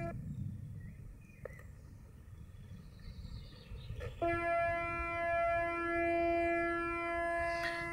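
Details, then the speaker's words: Morningstar SunGuard SG4 PWM solar charge controller on amorphous panels: after a click, a steady buzzy tone with a slow sweeping phaser-like shimmer as the pulse width varies at constant frequency; normal PWM regulation whine. "so although the frequency is constant the the pulse width is varying and if you've ever played with a a synthesizer you'll know what a varying pulse width sounds like it's a phaser"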